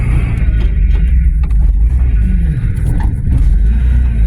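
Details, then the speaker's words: Old van started after long storage, fuel pump primed: heavy, steady low rumble with an even beat, no knocks or misses. Runs smoothly; next question is whether it will move. "Turns over. Will it run? Well, of course it will."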